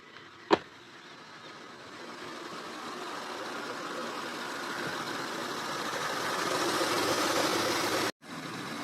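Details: Acura TL at idle after its leaking, noisy power steering pump was replaced: a steady, even engine hum holding a smooth note with no whine or groan. Normal, healthy idle.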